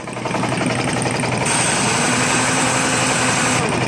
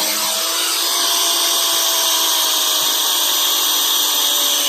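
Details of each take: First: Old air impact wrench after repair, first test run: sharp, fast air-motor whir with hiss that holds steady and spins freely; it works, running noticeably faster in reverse. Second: Old pneumatic impact wrench, found in a building and taken apart to fix, test-run at under 40 psi instead of about 120 psi: high airy hiss and soft motor whine sagging in pitch, spinning weakly with almost no torque; starved of air pressure.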